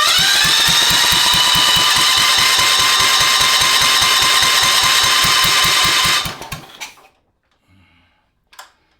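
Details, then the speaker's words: Cub Cadet 582 pulling tractor with Kohler K301, first start attempt on temporary fuel tank, choke on, jump pack: fast even cranking about six seconds, never fires; weak spark, points suspected, later found bad condenser. "I think I need to adjust the points. I did check it. It did have a spark, but it was a weak spark."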